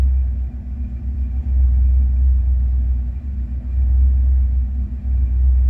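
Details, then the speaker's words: 1988 Ford F150 with the 5.0 V8 and manual transmission, exhaust heard from outside: deep V8 idle that swells and sags slightly, sitting high with no throttle; idle creeps up, smells rich, and the headers tick early. Cause unknown. "well I say it does it's still high but uh so the exhaust sounds like maybe you tell anything from that"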